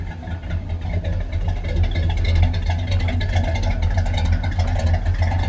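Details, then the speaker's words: 1976 Chevy Chevelle Malibu V8, just fitted with Edelbrock intake manifold and carburetor, timing as before, warming up; deep lumpy burble swells on throttle blips and settles back cleanly, no knocks or misfire, idle perhaps slightly high; normal revving. "I like that sound that carburetor and intake sure is changing it"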